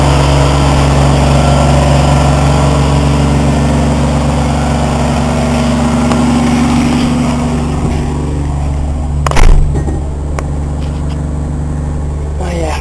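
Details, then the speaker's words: Old truck after fitting a new muffler with a metal mount, tailpipe not yet added: smooth, even low rumble at idle with no rasp or popping, then a brief rev; much quieter, normal exhaust note. "you can obviously hear the difference now it's much more quiet in here now"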